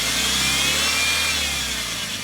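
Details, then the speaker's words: Belt area of a car: steady hissing rustle with no beat and no pitch change, a continuous belt "sha-sha" noise; points to a faulty tensioner pulley bearing. "是张紧轮轴承有问题，冷车启动吱吱响是皮带打滑了。"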